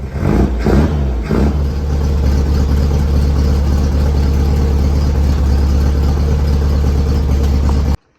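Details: 1967 Volkswagen Beetle air-cooled engine after pulling it to replace motor mounts and oil cooler o-rings and fix a broken exhaust stud; a few sharp blips then smooth steady rumble with no knocking, running fine, issue believed resolved.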